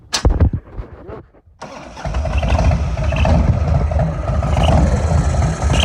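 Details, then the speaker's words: 1997 Harley FLSTF on stand with newly installed Lectron carburetor, crankcase vent flipped: lumpy V-twin idle with sharp chirps on throttle blips, louder when riding; chirp from carburetor intake. "okay now that's one thing to chirp when i'm sitting here flipping the throttle at an idle well on the stand but when i'm driving down the road it's pretty loud and pretty damn annoying"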